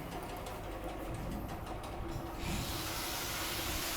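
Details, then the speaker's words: Used KING heavy-duty drill press (Taiwan), repainted with new greased bearings, 220 V single-phase motor with four belt speed steps: quiet, steady hum with only a soft hiss and no knocks or rattles. It runs smoothly and normally. "ใช้งานได้ปกติเลยสภาพมือสองพันการใช้งานแล้วนะครับเงียบเลยนะครับผม"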